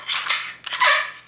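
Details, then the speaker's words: 1985 Yamaha YTM 200 ER: two sharp rising scraping screeches as the recoil starter rope is worked; the recoil assembly is bone dry, apparently never lubricated, with a broken section, and won't pull back in properly. "hear that screech see how dry everything is over here on this broken section"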